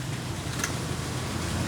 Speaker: So ang nagiging problema niya kapag pinatay yung susi yung motor ng kanyang ABS ay continuous yung pag-andar.